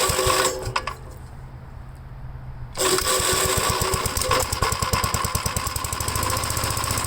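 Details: 1957 Gravely tractor, previously cranked two seconds then quit, after fitting new starter button/switch: quiet a few seconds, then single-cylinder catches and settles into even, steady thumping; normal start and run.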